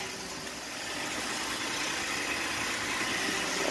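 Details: 2018 Ford F150 3.5 EcoBoost, 20,000 miles, just after an oil change with Amsoil 5W-30 Signature Series: start-up and idle, oil pressure gauge rising quickly; a steady, even hum with some hiss and no knocks, ticks or misses, healthy.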